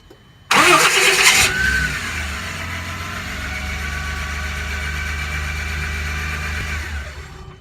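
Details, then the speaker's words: 1997 Toyota Land Cruiser FZJ80 with second aftermarket Mean Green starter: about a second of loud, high whirring while cranking, no grinding, then engine catches and settles to even idle; owner unsure the whir is normal. "there's no grinding a bit of a whirling sound so I don't know if you guys think this is normal it sounds a little better but a sound that doesn't sound normal to me anyway"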